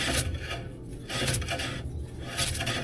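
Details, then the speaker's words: 1959 Plymouth Fury drum brake with new Total Contact shoes and rebuilt wheel cylinders, drum slightly warped, turned by hand after adjustment: light rasping rub swelling about once a second; slight drag without slowing the drum, correctly adjusted. "Because you want it to drag just a little bit, but not enough that it actually makes full contact."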